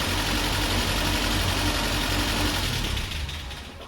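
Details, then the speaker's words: Land Rover Series 3 first start after head gasket replacement, not run in months, intermittent starter: catches and runs rough with a choppy, clattery beat; clatter source unknown, owner asks if it's valve clatter or low oil. "Okay, so that is really rough, but it did start. That sounds pretty good. Bit clattery. Where's that clatter coming from?"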